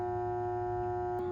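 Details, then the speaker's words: About 20-year-old home AC condenser unit in midsummer heat: a steady electrical buzz with no fan whoosh. The fan motor is stalled and blades won't start even after a stick push; the failed run capacitor was replaced. "Still buzzing. Fan blades aren't starting up."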